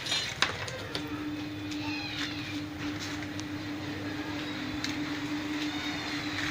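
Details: Pedestal fan running with a soft, steady hum and gentle air rush and no noise, after repair of a small fault that had made it noisy.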